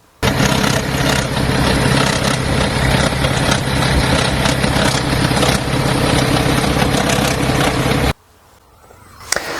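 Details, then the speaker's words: 2010 BMW 530d with N57 3.0 L diesel running, loose uneven metallic rattle about three a second over the diesel clatter from the back of the engine; worn timing chains and guides. "So, you've heard the noise. The noise comes normally from the back of the engine, which is where the timing chain guides and the timing chains are."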